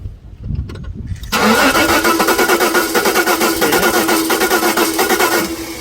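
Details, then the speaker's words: 1988 Jaguar XJ6 (XJ40) after water in the fuel tank; plugs cleaned and starter fluid sprayed into every cylinder, with a glow seen at the injector harness. The starter churns at about three beats a second but only one cylinder kicks and it never runs; crank, no start. "well I just gave the plugs to clean and I punched and sprayed a whole bunch of starter fluid down every one of the cylinders and I still get just kicking on one cyinder"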